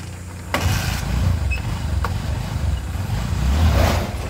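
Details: Honda Supremo motorcycle with a sidecar, after replacing clutch lining that had slipped from overloaded hill hauling: the engine catches at once and settles into a steady, even idle with a low thump and no slipping or rattling.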